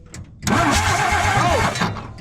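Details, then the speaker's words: 1962 Ford F600 six-cylinder with points gap set to 0.025 and Marvel Mystery Oil in the cylinders: starter spins at a steady, even cranking rhythm with no firing pulse. No spark, as the distributor rotor had been left out. "so we're not getting spark i set the points gap to 0.025 and we're going to give it a crank once more"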